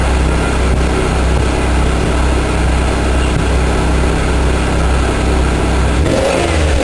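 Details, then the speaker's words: Buick Park Avenue after fitting a used replacement muffler, run after a rev, not run much since bought; steady, even low idle with smooth quiet exhaust, no knocks or rattles, sounds healthy. "quiet oh well I don't think that's too bad hopefully the the camera sounds halfway decent but uh yeah I think I'll let it run burn off some of this crap"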